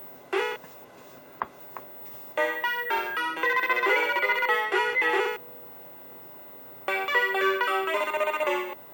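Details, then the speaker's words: Mappy arcade PCB after replacing 2148 sound RAM at 3K: crisp game melody and beeps with dead-quiet gaps, no static, hiss or crackle; clean audio, bad RAM suspected as the cause. "Yeah, I don't hear any static at all. So that must have been coming from this RAM chip."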